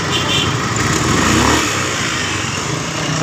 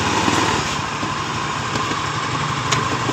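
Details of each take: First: 2015 Honda BeAT FI scooter after repair, idling with a smooth even hum and no kletek rattle; earlier noise traced to the dynamo, not the bearing: normal running, no CVT rattle. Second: Honda Beat FI scooter idling with a loose uneven rattle from the CVT; rear wheel turns without throttle as the clutch drags, vibration on pull-away persisting even after the owner replaced the clutch parts.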